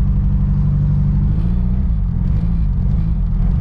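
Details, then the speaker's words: Nissan S13 200SX petrol engine idling like absolute dog, lumpy and uneven with stumbling exhaust beat, running on three cylinders; one cylinder dead. "like absolute dog [ __ ] it's not running on three cylinders so we need to fix that"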